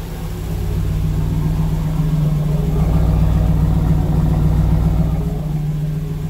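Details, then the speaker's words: 1992 Chevrolet Camaro Z28 with intermittent hard start, stalling and rough idle, started just after the ignition control module was refitted with grease and the plug wires were rearranged: it holds a steady, even idle with gentle swells and no stumbling. This is far better than before, though the fault is intermittent. "Well, that's way better than it was."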